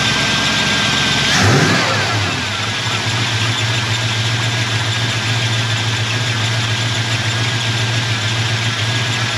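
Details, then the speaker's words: 1989 Jeep Grand Wagoneer 360 V8 just fitted with a 1-inch carburetor spacer, fuel pressure 6–7 PSI: quick crank catches at once, a brief flare, then a steady, even idle; it cranks up better than before, a normal start. "well I don't know if it actually hurt or helped but um it cranked up better that's a good sign"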